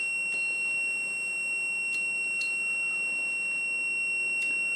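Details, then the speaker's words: Whirlpool/ELTH 261N bimetal defrost thermostat tested frozen on orange and white wires: continuity tester gives a steady high buzz, switch closed as normal; it should open near zero ±3 °C as it warms. "When the temperature gets to about minus 3, I believe it's plus or minus 3 degrees, the switch will open, which you'll hear when the buzzing stops."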